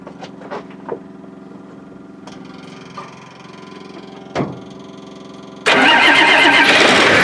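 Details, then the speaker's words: Link Belt 2800 diesel, previously hard to start cold, started after fuel-system work (lift-pump banjo screen checked, plugged pickup screen blown out, water drained, debris-filled tank, system primed): short crank, catches at once and runs loud and steady; normal first-try start. "well good at once Yanis that's better than anytime"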